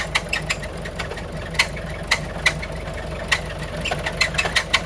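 Uneven sharp ticks and knocks, roughly three a second, ride over a steady diesel idle; the source of the knock is unknown.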